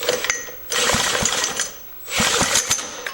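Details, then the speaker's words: 1940s Lawson 2 hp small engine, sat 40 years with no compression, no oil in it, weak battery, at idle: two short bursts of ragged firing catching about a second each; engine beginning to run. "There we go. There we go, it ran. This battery sucks. So, we're not going to run it for long."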